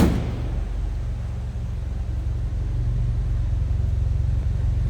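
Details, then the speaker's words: 1949 Willys Overland Jeepster with a 3.8 L GM V6 (possibly Buick), recently rebuilt carb and automatic transmission, warmed up after some choke: steady, even low idle with no misses, knocks or hunting; running smooth. "All right, now you can hear it. Sounds like it's running pretty smooth."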